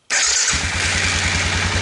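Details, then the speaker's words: 2002 Suzuki Vinson 500 ATV, normally hard to start and dying at idle, fires and settles into smooth, regular idle thump with no stumbling while the fuel shutoff valve vacuum hose is blocked off, bypassing suspected leaking diaphragm. "I noticed whenever I block off that vacuum hose it idles really good"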